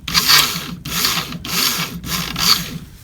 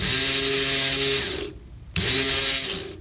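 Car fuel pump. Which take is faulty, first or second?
first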